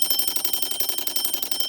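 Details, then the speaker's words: 1935 Westclox Sleep-Meter alarm clock after mainspring replacement, bell refitted: fast even bright metallic clatter about a dozen strikes a second; alarm hammer working properly again after decades. "This alarm has been heard for the second time in, like, I don't know, 20, 30, 40 years."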